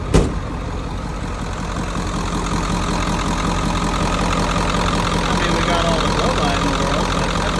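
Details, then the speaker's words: 1994.5–97 Ford 7.3 Powerstroke diesel at 300k+ miles, after IPR replacement: even, steady diesel idle clatter with no misses or stumbles. Owner suspects a previously clogged injector, now cleared. Normal idle. "I bet we had a clog uh injector not cylinder cuz now it sounds way better sounds like a clean running"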